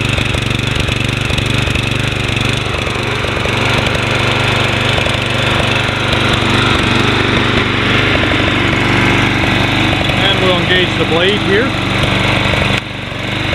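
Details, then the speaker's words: Toro Personal Pace 20333 Spin Stop mower, 190cc Briggs & Stratton, sold as non-running, started after cleanup: steady, even single-cylinder chatter with blade spinning, no misses or surging; healthy, carburetor leak still watched. "Sounds good. Very nice Toro. Keep this a while, make sure this carburetor is good on here."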